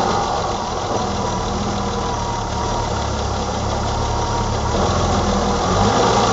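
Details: 1987 BMW E28 520i, M20 2.0 L six-cylinder, 129 hp, nearly 400,000 km, recorded on a Nokia N73 phone: steady, even idle with a smooth low hum, no knocks or misses; runs excellently again.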